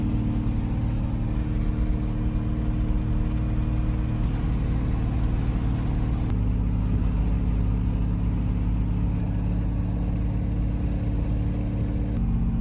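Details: C5 Corvette V8 with a BTR Stage 3 cam on a remote tune via HP Tuners, during logged wide-open-throttle runs: a deep, even drone with smooth pitch steps and no knocks or misses. It runs clean.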